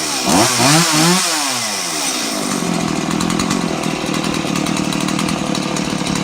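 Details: Stihl MS 180 chainsaw after rebuild, carb adjusted, bar and chain hung, oiler fixed: quick rising revs settling into steady even high-pitched buzz, no bogging or surging; runs cleanly and holds speed.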